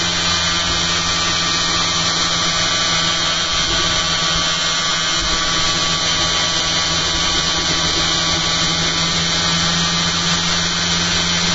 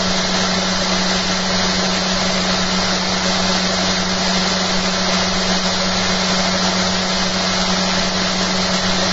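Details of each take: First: Magnet motor rig with a new eccentric bobbin and magnet holder, 280 mA output into a 6 V load and drawing more current than before: steady high whir with a rough buzzy edge; suspected the bobbin holder magnets aren't set properly, not confirmed. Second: Magnet motor rig fitted with a new eccentric bobbin and magnet holder, at about 5,360 RPM and 1.01 A input: smooth steady hum with no knocks or rubs, brushes faintly audible; running cleanly.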